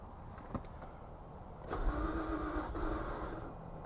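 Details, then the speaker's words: 2004 Infiniti G35, 150,000 miles, codes P0340, P0335, P0345, P0430: starter turns engine about a second without catching; cranks then dies, fuel pump first suspected, faulty bank 1 camshaft position sensor found. "all right so maybe it might not be a fuel pump it could be a camp sensor"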